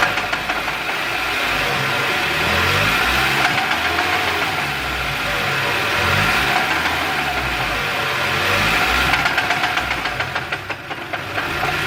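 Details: Mazda Miata idling with a repeating clunk, about four a second, which started right after the clutch was replaced; cause unknown.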